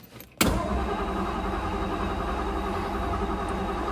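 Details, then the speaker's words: 1956 Ford Thunderbird V8, first crank after sitting, in neutral on a spare battery. After a click, the starter spins the engine at a steady, even rate with no grinding or dragging, then it fires right up; normal cranking. "Oh, she cranks. That's promising. Wow. Fired right up."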